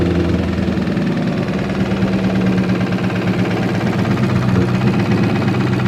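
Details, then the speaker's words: Boosted Ford Boss 302 V8 idling in a driveway after sitting two days; the knock appeared after boost pulls. Fast, typewriter-like ticking over a lumpy idle; the owner suspects possible rod knock but the cause is unconfirmed. "But when I got out to fix that, I heard a knock, like a loud ticking, so it sounded like a typewriter, like a typewriter tick or something like that. I don't know exactly if it's rod knock."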